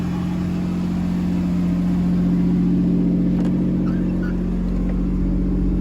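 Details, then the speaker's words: Camaro V6 just after first start following fuel pump relay check: even, steady fast idle about 2,500 rpm with smooth low drone, no misses, ticks or knocks; healthy, sounds pretty good. "It is idling a little high. Where is it at? About 2,500 RPMs. This thing sounds pretty good."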